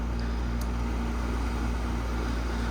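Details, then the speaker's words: Grandmother's air conditioner after annual cleaning, fan switched to high speed. An even whoosh of air over a constant low hum, no rattles or knocks. Normal fan, high. "I don't think I went through the speeds on this one. Let me do that real quick. Medium. High."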